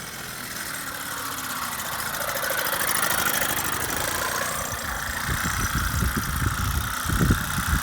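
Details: Solex 2200 moped on a road test after restoration: small two-stroke buzz climbs and settles smoothly as it pulls away, some road bumps later; runs healthy.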